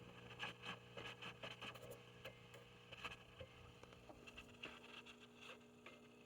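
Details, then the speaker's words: Heathkit T-3 tube signal tracer, recapped: irregular crackles and pops over steady low hum from a noisy carbon composition resistor; replacing it removed the crackling. "it's very noisy so i'm going to change that out and we'll see what we got with that"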